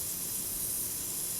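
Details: Home irrigation system rotator spray head, arc adjusted, giving a steady, even hiss of water spray with no sputter, misting or pulsing; running normally at proper pressure.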